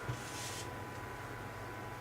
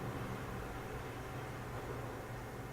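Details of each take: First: PC case fans on a Phobya splitter stuck at 100%: steady loud airy whoosh and low hum with no speed change; owner unsure the power/PWM splitter wiring is right, while the exhaust fan on the motherboard runs normally. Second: PC case fans after fix with Phobya splitter and a voltage reducer (possibly 7 V): soft, steady low hum with even airflow hiss, no rattles or pulsing; fans now running quietly.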